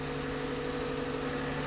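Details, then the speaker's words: Toyota 2GR-FE 3.5L V6 at its first cold start after a rebuild (head gaskets, VVT gears, oil leaks): steady smooth idle with a faint lifter tick and slight rumble, normal after the lifters are removed; expected to fade once warm. "so I do hear the lifters ticking a little bit that is pretty normal after you remove them"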